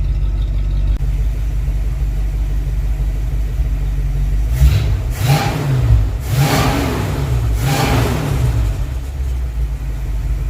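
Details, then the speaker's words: Freshly rebuilt Dodge 318 Poly V8 pickup, recorded at the rear: even idle with three quick throttle blips that rise and fall cleanly, no knocks or misses; healthy revving. "let's just get a little bit of that exhaust note back here now is that cool or what I'll set you guys up we'll give her some revs this thing sounds pretty nice"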